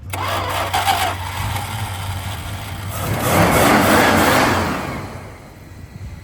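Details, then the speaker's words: 1964 Plymouth Barracuda that sat over 10 years; engine catches and settles to an even idle, then one clean rev and fall-back; no knock or tick, sounds healthy enough to drive onto the trailer. "doesn't sound [Applause] bad sounds good yep at least we'll drive it on the trailer"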